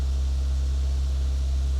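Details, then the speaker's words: Manual car held steady at about 2 on the tachometer: an even, moderate engine hum, neither too loud nor too low, with no knocks. This normal engine note is the cue to shift up into second gear. "لو العداد ده راح لرقم 2 بالشكل ده كده وثبت عليه، هسمع ان هو الصوت بتاعه بقى نورمال شوية، يعني ولا عالي جدا ولا واطي جدا."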